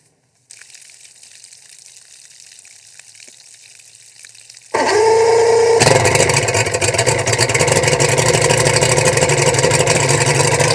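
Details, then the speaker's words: Boat outboard on an unusually warm windy day, forecast high 76 degrees: after a quiet spell it catches and settles into a steady even run with water splashing out, water pump and thermostat working; running good after fuel run through. "Okay guys, project done. Boat's running good. Got some fuel through it, got the water going through it, got the seat repaired, which is really what I wanted to do."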